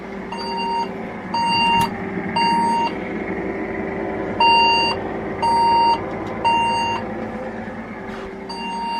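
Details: Old second-hand Saturn server tower case switched on; high beep repeats about once a second with irregular gaps over fan hum, a startup error pattern the owner suspects is a RAM problem.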